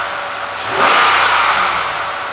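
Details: Hemi truck towed in non-running, misfiring, after replacing one broken intake valve spring; engine fires, flares with a quick rev, then settles into a steady even run with no stumble or miss; normal idle after repair.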